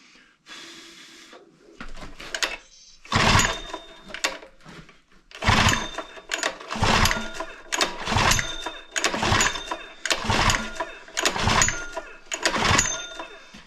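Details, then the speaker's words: Honda GX120 gasoline single-cylinder on an air compressor, primed with fuel that smells like 2-stroke; rope pulls every 1.5 seconds give brief puffs but never catch, plug found fouled again, soaking wet. "Yeah, I think the plug's fouled again. All right, hang on. Stand by. Yeah, the plug is fouled again. Soaking wet."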